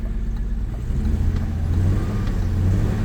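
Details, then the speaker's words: 1991 BMW 750iL storage-unit find in limp mode with no check engine light and a flat idle. It climbs lazily when blipped, with an uneven, stumbling miss; owner plans to check the plugs. "she's slow to rev. There's some things we're gonna have to check on. That's not fast enough. But yeah, no, it runs relatively well besides that miss."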